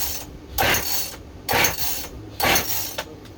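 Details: Freshly rebuilt Husqvarna 55 chainsaw with decompression valve in, stop switch on and fuel visible; three rasping recoil pulls, engine turns over without firing; cause not confirmed; cranks but will not start.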